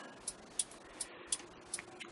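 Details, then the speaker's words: 1968 MGC with LED turn/tail/brake conversion and a new flasher unit: the right blinker gives light, crisp, steady clicks in a quiet cabin, slightly different from the old unit but indicating properly. "so I've turned to turn on the right blinker and you can hear click click so this flasher unit has the sound the clicking sound just like the old one I mean it sounds a little bit differently but it's it's indicating the way it should"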